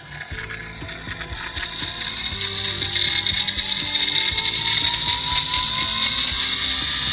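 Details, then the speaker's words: WM210V lathe BLDC spindle motor at maximum speed: high rising whine with fast regular metallic ticking from worn rear motor bearing, first suspected as impeller; fixed by replacing with Koyo 6002ZZCM bearings. "Надеюсь, было слышно на максимальных оборотах, как шумит задний подшипник."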